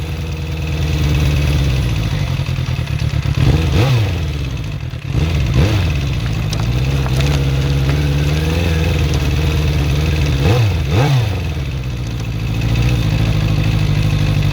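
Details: Suzuki GSX-R400 (RL) motorcycle engine at a lumpy idle with a couple of blips: light ticking following revs; owner suspects valve shims or timing chain, cause unclear.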